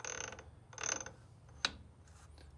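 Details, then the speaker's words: Truck PTO rebuilt with a new input gear, turned slowly by hand: short scraping, ratcheting bursts as the gears mesh, to be fixed by moving the shim to the other side to shift the gears; gear rubbing from misplaced shim. "so what we're gonna do is we're gonna move our shim to this side that's gonna shim these gears over"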